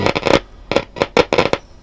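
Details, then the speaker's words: Hacker Herald RP30 transistor radio under repair: irregular bursts of scratchy crackle between quiet gaps while tuning; owner suspects the tuning capacitor, not confirmed. "something's very scratchy maybe it's the tuning cap don't know"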